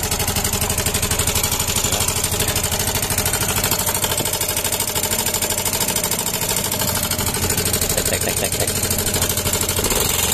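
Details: Yamaha Mio M3 scooter with very rough engine sound: loud, rough, fast metallic clatter over the idle throughout; suspected valve train knock, though piston rod, crank bearing or roller weights also suspected before teardown.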